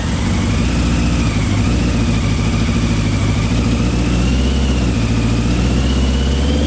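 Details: Old Honda CBR600 engine in reverse trike, after carburetor cleaning, first run in over two years: steady even idle with firm low pulse, no misses or knocks; engine runs, though not tuned as well as it could be.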